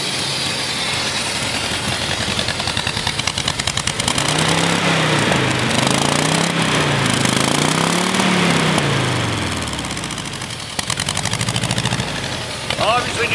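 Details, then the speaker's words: 1967 Gyro-X car with an old KE-type fuel injection system: idle climbs and sags in slow waves of a second or two, never settling; engine hunting at idle, suspected to need injector cleaner through it. "that's an old fuel injection system you can hear it's hunting a bit probably wants injected cleaners through it"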